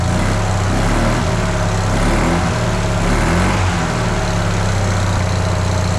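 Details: Fiat 500 small petrol engine idling after engine mount replacement: steady, even low idle with no knocks, ticks or hunting; sounds healthy, though engine movement looked unchanged.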